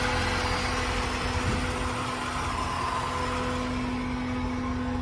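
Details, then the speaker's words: 1992 Corvette LT1 V8, 751 miles, stored since new, new fuel pump and injectors: steady, even cold idle with constant hum of the air injection pumps over it; engine smooth and healthy. "Good old LT1. Air pumps are running."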